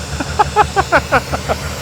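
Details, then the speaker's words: V12 car at auction: idle lopes with uneven puffs about five a second, stumbling instead of a smooth hum; misfire at idle, vacuum leak at the top of the engine suspected. "it's not a happy v12 all right so there she is she's definitely misfiring but by god look how big the thing is"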